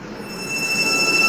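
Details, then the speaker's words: CHF100A VFD-driven motor with carrier frequency parameter P0.14 set to 1 (range 1–15): steady, piercing high whine that fades when raised to 8 and higher, though a higher setting heats the VFD more; VFD carrier-frequency motor whine. "देखें मोटर की काफ़ी ज़्यादा आवाज़ है।"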